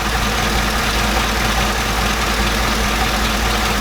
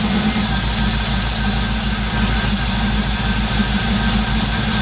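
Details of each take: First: Chevrolet Silverado V8 back on its original line after a cheap eBay oil catch can install made it run poorly: steady, even idle with no hiss, stumble or misfire. Cause unknown; owner suspects the breather caused a vacuum leak. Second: Silverado/Sierra V8 after installing a cheap eBay oil catch can runs with an uneven idle and thin high whistle from unmetered air drawn through an open breather; removing the breather and plugging it fixed the rough running.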